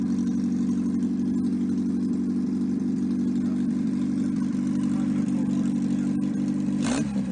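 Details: 1954 MG TF four-cylinder with an open exhaust and no coolant. It runs steady and even with a smooth low rumble and no knocks or misses. Oil pressure is about 50 psi at start-up idle, compression 162/157/157/156, and no rebuild is needed.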